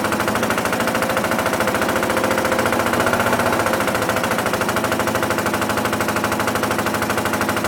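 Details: BMW R65 boxer twin with hard, choppy, uneven exhaust beats instead of a smooth pulse; stumbling rough running with misfire.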